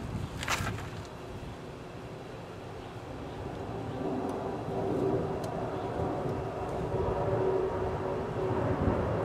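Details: Pool pump motor after capacitor replacement: spins up into a steady, even hum with no grinding or knocking; previously humming loudly and tripping the breaker due to a bad capacitor.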